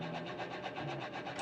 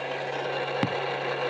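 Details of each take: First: Left automatic folding side mirror, button pressed. The motor gives a short, even buzzing whirr with no grinding, folding and unfolding normally; the right mirror's internal lock is broken. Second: Right automatic folding side mirror with a broken internal lock. The motor hums steadily with one sharp clack. Folding no longer works and the whole mirror assembly may need replacing.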